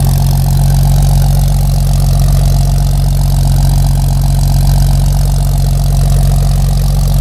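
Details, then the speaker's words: 1946 Chevy truck at idle after new exhaust install, dual exhaust manifold with glass-packs and dual 2-inch pipes; deep steady burbling idle with even pulses, no misses, sounds much better though a slight exhaust leak is heard. "[Music] Sounds much better. Actually hear the mouth kicking out. [Music] I can hear a slight exhaust leak."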